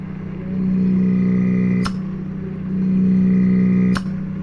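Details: DC "missile" water pump, self-starter-type brushed motor, after cleaning carbon from the commutator with fine sandpaper during a home repair: steady low hum rising and easing back twice, sharp click between runs; suction checked, pump pulls evenly and sounds healthy.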